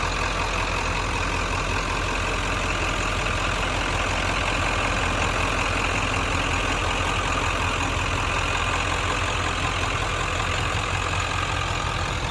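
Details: 1997 Ford F-250 XLT 7.3 Powerstroke diesel, 5-speed manual, 4x4, 69,713 miles, just started: steady idle with even clatter and smooth unchanging tone, no misses or knocks; engine sounds healthy.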